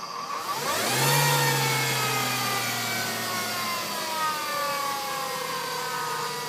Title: w210 transmission whining noise